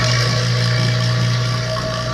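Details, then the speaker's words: Vacuum pump pulling down a system in a roughly 68°F shop classroom, removing moisture seen as a yellow cloud: steady low drone with a faint higher tone that smooths out and quiets as the vacuum deepens; normal pull-down. "You can hear the change, how it's starting to drone out, smooth out, right?"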